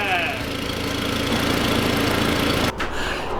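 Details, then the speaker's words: Modified Audi TT petrol engine after replacing spark plugs and coil packs, idling smoothly and evenly with no misfire. "yes so there is no misfire thank God it's not a more serious issue"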